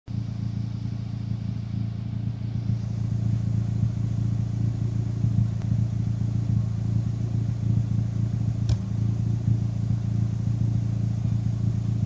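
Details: Turbocharged engine fitted with larger SR20 injectors, at warm idle: steady low idle with a single sharp exhaust puff near the end; random misfire, owner suspects the injectors.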